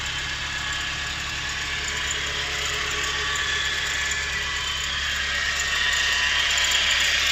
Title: 4G13 strange whining sound.